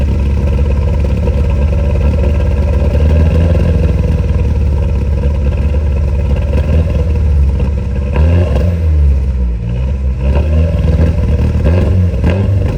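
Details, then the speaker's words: VW TDI diesel that idles fine but dumps fuel above about 2000 rpm: deep drone under revs with rough uneven clatter and sharp pops, backfire scorching the grass; many parts replaced, cause unknown. "hopefully you guys hear the backfire and look at there where I was pointing and burned the exhaust I mean the grass"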